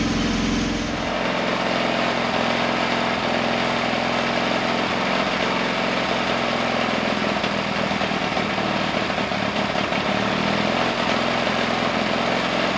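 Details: Pony motor of a 1950s Caterpillar 955 Traxcavator, 60+ years old, after an oil change and new spark plugs: it settles into a smooth, even idle after a brief rev, with no misfires or rattles. It idles well.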